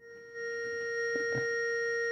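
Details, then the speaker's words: Harlem Globetrotters pinball sound board after the sustain adjustment is turned up: a clean electronic tone rings on at constant strength with no decay. Sustain is set too long. "Let's see what happens when I hit this now. Very sustainy."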